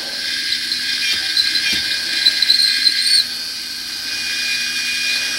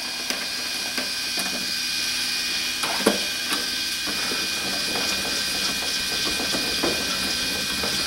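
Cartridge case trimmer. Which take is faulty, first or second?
second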